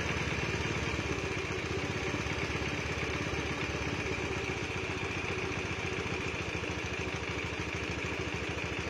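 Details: Honda Beat (carburettor model, standard engine) fitted with a PE24 carburettor, after idle and mixture adjustment: steady single-cylinder putter at a low, even idle with light mechanical clatter and no surging; normal settled idle.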